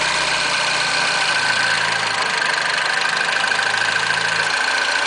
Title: RCZ rattling noise when cold started